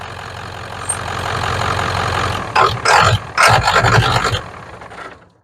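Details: 1994 Ford 7.3 Powerstroke diesel truck after fixing crank-no-start at the IPR wiring: catches and settles into a steady low idle with rough, even clatter, some loud handling noise; running fine.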